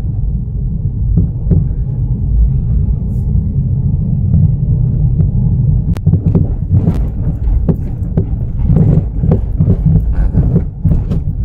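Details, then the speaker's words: 2009 Toyota Yaris driving over rough road: heavy road rumble with irregular dull thumps like the strut seat being hammered; torn strut mount (shock support) rubber letting the strut knock. "jadi suaranya emang kayak dudukan siapanya itu dipukul-pukul pakai karya tuk tuk tuk"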